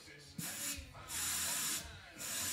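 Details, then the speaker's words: Carburetor off a 2001 Harley-Davidson Fatboy Softail, air-cooled 88-inch, rebuilt after sitting 5 years, tested with air hose: air hisses through only when the float is lifted and stops when dropped; float needle valve sealing properly. "You can hear that as I lift it up. You've got a good seal because it opens right up."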